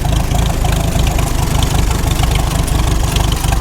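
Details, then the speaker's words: 1948 McCormick-Deering W-4 tractor on its first start: the old four-cylinder chugs unevenly, skipping and surging, as it runs out of gas; an engine stumble from fuel starvation. "So far, Running out of gas now."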